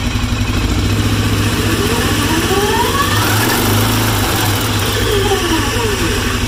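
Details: Arctic Cat 650 with clutch case off, revving: coarse uneven grinding and whirring that rises and falls with throttle from the clutch case area; cause not yet determined.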